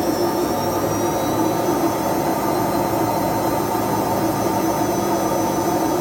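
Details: Whirlpool/Vestel front-loading washing machine exactly one year old with bad drum bearings: loud steady roar and droning hum through high-speed spin, getting louder and louder but still running. Worn drum bearing.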